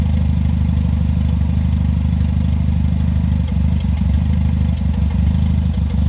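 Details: Toyota 3S-GTE gen 3, after warm-up: idle with an uneven, lumpy beat and occasional stumbles where firing drops out; misfire, cause not yet known.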